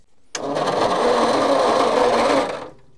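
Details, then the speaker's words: Petrol Bedford tip truck, roughly early 60s–mid 70s, sat 10+ years rusty with added electric fuel pump: slow laboured cranking with gritty gravel-like grinding and no firing; cause not found. "Turning over. Sounds like there's a handful of gravel in there somewhere. It is cranking pretty slowly, but I'm surprised it's cranking at all."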